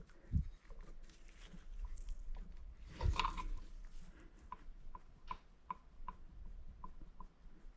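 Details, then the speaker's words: Peugeot 103 moped cylinder head rocked on a surface plate in a quiet room: soft repeated clacks, a few per second, show the face isn't flat; warped head, to be resurfaced with a taped-down sheet of sandpaper in figure-eights. "On entend claquer. Donc ça veut dire que toute la surface ne plaque pas sur le marbre. Donc il faudra la rectifier."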